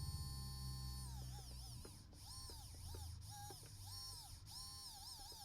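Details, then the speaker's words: Hobbywing Fusion brushless motor from an RC crawler, on a 3S battery after repair: a quiet electric whine rises and falls smoothly with throttle, running cleanly without stutter; repair successful though no longer waterproof. "and that is running. So I will take that as a success."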